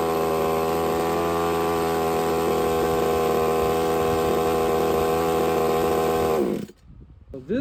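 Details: Used Redcat Rampage XB RC car with a Walbro 990 carburetor and no choke, after needle setup: a high, steady buzzing two-stroke note that holds several seconds, then cuts cleanly. Normal running.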